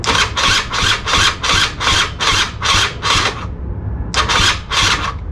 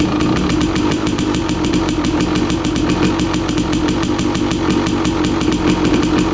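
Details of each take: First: 2016 KTM 300 XCW two-stroke, cold, original starter before replacement, charged Tusk lithium battery, cranking only: slow, labored cranking about two and a half compression strokes a second with a brief pause; weak starter causing slow starting. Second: 2016 KTM 300 XCW two-stroke, cold, choke off, after installing new starter on charged Tusk lithium battery: quick, even cranking catches straight into crisp, rapid two-stroke crackle holding steady idle; healthy cold start.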